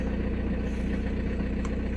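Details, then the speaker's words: 2006 VW Passat B6 1.9 TDI diesel, 318,000 km, that would only start in first gear, after wiring repair under the hood: even low rumble with a steady, unhurried beat, no misses or knocks; check light still on; normal idle. "едем мотору все ровно мотор работает ровно уверенно"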